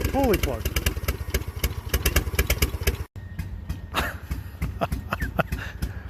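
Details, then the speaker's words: Engine running hit-and-miss like a drum beat, a sharp beat then gaps, with one cylinder doing the work and the rest dropping out. Tapping the injector bodies with a hammer and chisel did nothing. Cause not confirmed. "totally sounds like a hit and miss"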